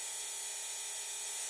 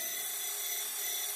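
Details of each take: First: Hidromek RC hydraulic excavator model after topping up hydraulic oil by syringe: steady thin pump whine rising as boom moves, smooth with no sputter; oil circulating without bubbles, cavitation cured, slight bubbles remain as tank not completely full; normal hydraulic pump operation. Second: Small gear pump on an RC hydraulic Hidromek excavator, just started with some oil in the tank but not enough to feed it: thin, steady high-pitched whine with airy hiss, air bubbles drawn in; hydraulic pump cavitation.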